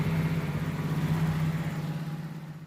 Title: toyota corolla idle drop and engine stalling